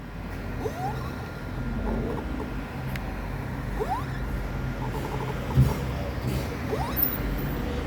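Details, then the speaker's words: Spacefox rear suspension creaking as the rear is pushed: rising, squeaky creaks about every three seconds from worn rear shock absorbers, to be replaced with rear shocks plus kits (mount, bump stop, boot). "carro veio para mim com barulho na suspensão traseira mostrar para vocês o rangido que tem nesse amortecedor vejam aí"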